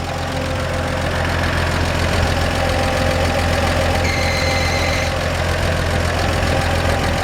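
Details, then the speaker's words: 1947 Chevrolet 3100 truck, original 216 six, converted to 12 volts with a new alternator. Steady idle with audible lifters and a brief high-pitched squeak, possibly the belt, not confirmed. "Not sure what that little squeak is, maybe the belt."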